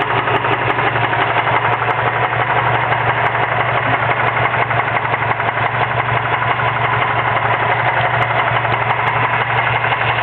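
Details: Mazda 6 idling: steady, fast knocking from the serpentine belt drive caused by worn bearings in the idler pulley; replacing the belt, idler and tensioner pulley cured it.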